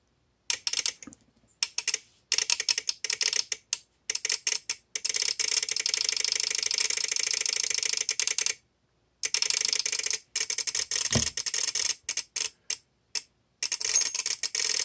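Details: VXT-24 steam boiler water feeder, about two years old, water dripped on manual feed switch to simulate leak: rapid erratic bursts of dry relay clicking; shorted switch powers the valve, bypassing anti-flood protection and flooding the boiler.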